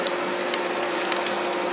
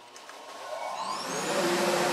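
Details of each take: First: Dust collector running through new ductwork with a homemade blast gate: steady airy motor whine at constant pitch, no rattles or surging. The collector runs normally. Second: Shop dust collector with new homemade blast gates and modified ductwork: a steady roar with thin high whistles from small duct leaks, which drop off when a gate is opened. Air leaks whistling in the ductwork.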